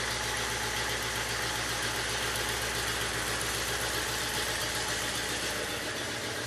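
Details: 1967 Oldsmobile 442 original 400 V8, rebuilt with new rod and main bearings and rings, running on engine stand, about 180 psi compression, good oil pressure; even, steady idle pulse with no tapping or knocking; normal running.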